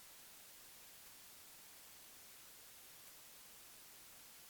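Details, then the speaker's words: Focusrite Scarlett 1st Gen mic preamp with a microphone connected; two spectral spikes appear then drop, leaving only a faint even hiss, no hum or crackle; normal preamp noise floor. "the two spikes at first they're there and then they drop down and you have a very clean smooth noise that's really not a problem that's just a normal noise you would usually have"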